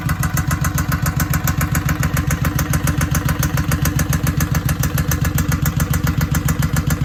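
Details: Newly purchased Suzuki Boulevard M109R V-twin idling with a very loud, sharp knock hammering steadily about three to four times a second; cause unknown, and the owner plans to pull the engine to find it.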